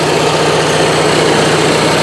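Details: Onan Marquis 5500 RV generator (1998 Bounder motorhome, 20+ years old, 60 hours) after carburetor rebuild, running on gas from a can as it won't draw from the tank, choke opening; steady even note, no misses, knocks or surging; normal running.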